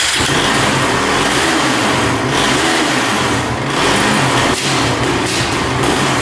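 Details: Honda TRX450 quad with top-end chatter that bogs and won't rev out; blipped repeatedly, the single revs but sags and stumbles instead of climbing cleanly; bogging under throttle, cause not yet clear.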